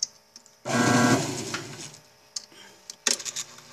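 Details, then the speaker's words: Electrolux washer that won't spin: sharp snaps and rushing bursts as the drain actuator keeps pulling in and releasing. Blamed on the control board. "e outra coisa vocês viram aqui que ela tá puxando e soltando o atuador ela puxa e solta o tempo todo"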